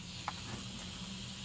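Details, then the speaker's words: Mayfair FT-102A rim-drive tape recorder amplifier under restoration, no signal playing; faint constant hiss over low hum from a super-noisy RCA transistor from one batch, later swapped for a quieter one. "okay so I've gone through several RCA transistors out of that batch and these two were super noisy"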